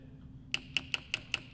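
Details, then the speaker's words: Case IH 3320 sprayer with AIM Command, solenoid bench test: seven sharp, crisp, evenly spaced clicks about five per second, a good solenoid that will make the spray tip pulsate properly. "you can hear that one go that's a good one so that that will make your spray when it's spraying that will make your spray tip pulsate which you want"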